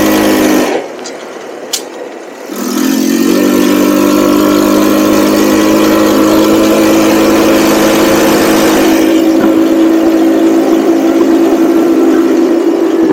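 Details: Cheap buggy's small engine, hot, riding after fitting a 120 jet; steady even run with clean pull and only faint occasional hesitation, far better than before.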